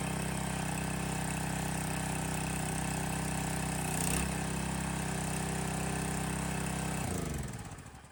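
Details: Landworks 20-ton log splitter's new single-cylinder engine just started, loose choke lever creeping toward run; steady, even drone at constant speed, no knocks or misses, then winds down and stops; quieter than expected; normal running.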